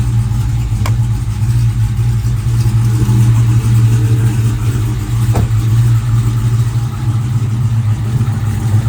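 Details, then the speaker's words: Supercharged Hellephant 300 engine idling hot with supercharger and accessory belts removed; loud low rumble with a faint irregular tick about twice a second from inside the motor, engine ticking, cause unknown, engine to be pulled. "yeah that's from inside the motor for sure that does not sound"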